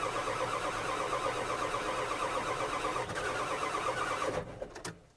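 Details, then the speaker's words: 1997 Ford F350 7.3 diesel that lost power with heavy white smoke and died while pulling a skid steer: even cranking about four beats a second, never catching; water in the fuel. "there going to be a lot of cranking to get through the fuel and the lines the whole injection system is going to be full of water"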